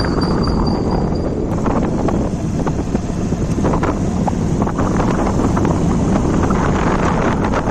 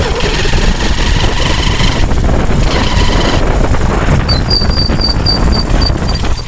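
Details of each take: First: Hero Shine motorcycle with a rebuilt engine, after the primary gear was replaced to cure a crack-like primary gear noise, mic placed low near the engine: even drone under wind noise with no rattles from the primary side. Normal running after repair. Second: Hero Shine motorcycle, engine rebuilt elsewhere, before repair: loud heavy run with gritty crackling mechanical rasp under exhaust note; worn primary gear, later replaced.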